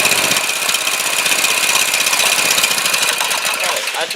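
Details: Harbor Freight 212 clone engine after replacing a carburetor rusted out by ethanol fuel, tank refilled with non-ethanol fuel, started on choke: quick, even single-cylinder firing with no misses or knocks; normal running.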